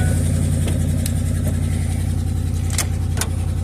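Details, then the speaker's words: 2007 Ford F150 just after startup: fast puffing tick on the deep idle rumble in step with the firing, an exhaust leak. "Okay. That was supposed to happen. Sounds like it's got an exhaust leak."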